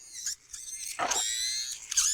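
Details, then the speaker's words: DSPIAE electric reciprocating sander Pro, bought in October and about six months old, run while sanding model parts; high wavering squeal rises over the motor buzz in bursts as it locks up and stops reciprocating, an abnormal "death howl". "It's not reciprocating. It's just throwing a death howl."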